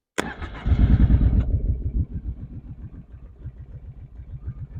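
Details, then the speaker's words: Kawasaki Prairie 650 V-twin ATV at idle with choke: steady mechanical knock about three per second; owner suspects crankshaft but it isn't a deep knock, possibly excessive piston slap; runs, drives, smokes a little. "as you can hear she's knocking pretty good or something I don't know it's not a real deep knock like like a crankshaft would be but that's what I'm guessing it is"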